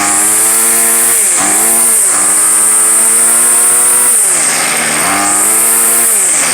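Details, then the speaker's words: Two-year-old gas weed eater, primed and started after five pulls: a high, buzzy two-stroke note rising and falling smoothly as the throttle is blipped; runs cleanly and sounds healthy. "yeah that sounds about right very nice five pulls thank you"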